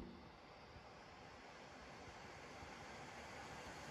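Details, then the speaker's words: HP Victus 15 laptop (i5-13500H, RTX 4050) under 100% CPU stress at about 97°C, fan set manually to maximum: smooth constant airy rush, no rattle; normal full-speed fan, though automatic mode never reaches this speed. "olması gereken ses bu olması gereken ses bu ama otomatik modda bu fan hızına çıkmıyor çok enteresan gerçekten çok enteresan"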